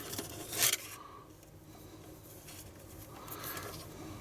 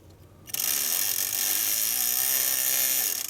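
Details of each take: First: 1970s Romco Star Trek USS Enterprise toy, bought broken, fan powered directly: small motor spins to a high steady whine with no rattle, fan blowing fine. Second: 1970s Romco Star Trek USS Enterprise toy, bought broken, fan powered directly: motor spins with a high raspy buzz and fast scraping chatter, fan rubbing on something.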